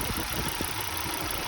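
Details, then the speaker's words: 2003 Volvo V70 2.4 four-cylinder: uneven stumbling idle with irregular low thumps as a beat drops out; misfire traced to cylinder 4, code 3502; coil versus injector or plug still being checked. "así es mi gente ya detectamos cuál es el problema es el cilindro número 4"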